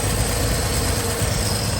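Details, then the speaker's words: 1968 Chevrolet C10 idling after new tune-up, exhaust leak fixes and downpipe refitted to exhaust manifold: steady even low idle rumble with light busy valvetrain clatter; still noisier than a small block Chevy, no misfire or knock, normal. "These fixes are still noisy little things. Make a racket still. Compared to the old smooth small block Chevy."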